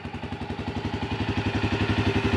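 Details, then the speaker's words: Yamaha Grizzly 300 ATV after a no-start/won't-stay-running fuel delivery fix with part 1SCF4500-10 and an aftermarket Chinese carburetor: an even single-cylinder thump, about ten beats a second, steady and slowly building with no stumble. "let's see what she'll do oh yeah it's got good idle good wide open throttle"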